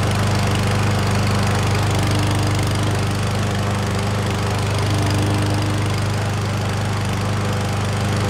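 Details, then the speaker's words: Certified self-propelled push mower after a carburetor clean, fresh oil and fuel: steady, even single-cylinder putter at constant speed with no misses, surging or leaks; normal running after repair. "all right so she's running like a top I don't see any leaks at all out of the oil dipstick there"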